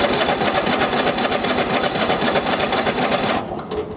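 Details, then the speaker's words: Troy-Bilt lawn tractor with Kohler engine, hard starting since new: steady starter cranking about four beats per second without firing; choke not engaging with throttle fully up, starts when gas poured into carburetor. "so what's going on guys is when I turn the choke on it's actually not on so on this machine here when you push the throttle all the way up the choke is supposed to be on"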